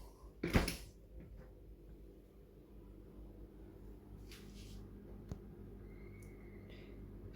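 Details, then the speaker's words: Fridge after its noisy fan was fixed and reinstalled: a quiet, steady low hum with a few handling bumps, nearly silent compared to the noise before. Normal fan operation. "total bueno hacemos un poco de ruido pero comparado con antes silencioso total"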